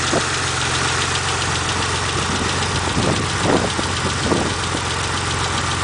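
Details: 1991 Mitsubishi GTO at idle: light, quick, steady ticking over an otherwise even idle; owner hopes it is lifter tick but fears worse, not confirmed.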